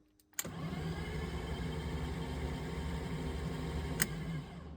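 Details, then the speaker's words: 1997 BMW 328i E36, off the road seven years, after no-crank fix via EWS mod, spark plugs and coils removed: turns over evenly about four beats a second, no pops, bangs or grinding; clean, healthy crank. "Wow, I am impressed. That actually worked. Holy cow, that thing was cranking over smooth. Didn't hear any uh weird pops or bangs or grinds."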